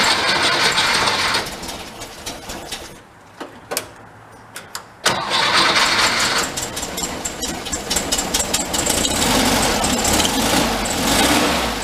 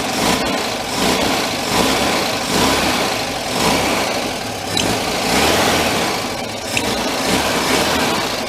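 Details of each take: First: 1959 VW Type 2 truck, air-cooled, after carburetor reinstalled: cranks, catches and settles into steady idle with crisp pickup; throttle response now immediate. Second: 1959 VW Type 2 truck, air-cooled, after a year sitting in a museum: throttle blips sag and stumble; accelerator pump at the back of the carburetor leaking fuel from its center post and loose, causing a flat spot.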